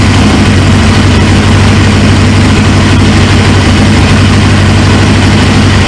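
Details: 1999 Suzuki GSX-R 750 with a newly installed used engine, first start after the fuel pump pressurised: even, steady low burble at idle with no misses, knocks or hunting; it idles healthy despite a fuel leak at the tank.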